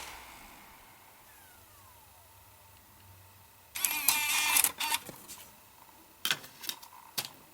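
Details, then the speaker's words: 2009 Mac Mini, replacement TSST Corp (non-Apple) optical drive ejecting Windows 7 DVD: quick whirring motor burst then crisp clicks as tray slides out, no grinding; much happier drive, normal eject. "Yeah, that is a much, much happier drive."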